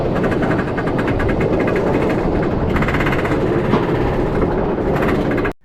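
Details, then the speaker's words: Roller coaster lift hill (Iron Gwazi POV): rapid steady rattling clicks as the train is hauled up, then silence, from the anti-rollback system that stops trains rolling back down; normal anti-rollback clicking. "So, on a lot of roller coaster liftills, you're going to hear this famous clicking sound. And you may or may not have wondered before what exactly causes them. Well, the cause of the sound is the anti-rollback system on the liftill that prevents the trains from rolling back down."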